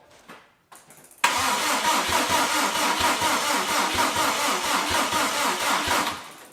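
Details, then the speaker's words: Subaru Impreza with freshly rebuilt engine on EJ207 block, cranking to build oil pressure after extra charging and a jumper: sluggish, uneven cranking about two turns a second that labours and fades; weak battery. "Just build up some oil pressure. That does not sound like a healthy battery."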